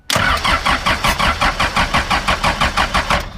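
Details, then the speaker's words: 2000 Ford F150 with a swapped 4BT diesel and M5R2 5-speed, cranking: steady, even beats, about three per second, and smoke showing. Compression sounds good and even on all cylinders. "good through all the holes yeah she got good compressional holes we have smoke she will fire"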